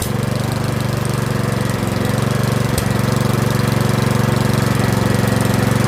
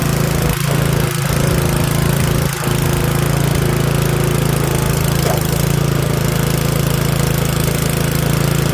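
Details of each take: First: Curb-find Yard Machines 21-inch 179cc OHV single-cylinder snowblower, after a full-throttle run, throttle a hair above the stop; steady, even putter at about four beats a second without hunting or dying, a normal idle. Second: Curb-found Yard Machines 21-inch 179cc OHV snowblower, off choke at full throttle: steady single-cylinder drone holding speed evenly; runs only briefly, possibly old fuel (suspected, unconfirmed). Worn paddles, some rust.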